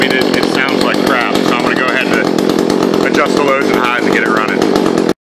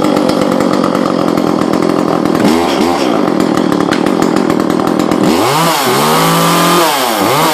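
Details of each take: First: Echo CS-400 chainsaw just after a muffler mod, before carburetor retuning: uneven, blubbery two-stroke running that never settles; mixture is off, later fixed by about one and a half turns out on the high screw and a little on the low. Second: Echo CS-400 chainsaw after muffler exhaust mod and carb mod, retuned with high adjusted about one and a half turns out and a small low adjustment: crisp even idle buzz, clean revs to high and back, no bogging, running better though not very loud.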